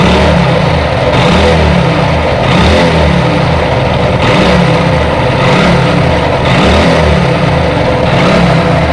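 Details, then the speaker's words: Hero Super Splendor single-cylinder motorcycle, engine rebuilt two months earlier (stood unused one month): steady, loud idle with a heavy, dull knock pulsing through it, attributed to the crank assembly. "तो इस तरह का sound है इसके अंदर। जैसे सलो में भी देख पा रहे होंगे वजन साउंड आता है, तो ये साउंड जो हमारा करेंग असेंबली का ही होता है।"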